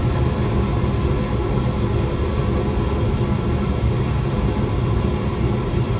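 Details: Gas furnace that was not heating, after the flame sensor wire connections were moved and the burner stays on: a steady, even low roar with no cutting out or surging. Normal furnace operation.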